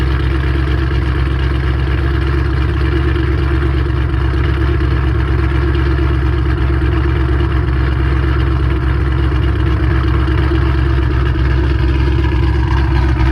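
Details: Mustang 3-valve V8 just after cam install on both sides: deep, steady idle sitting a bit fast with an even rumble and no knock; idle slightly high.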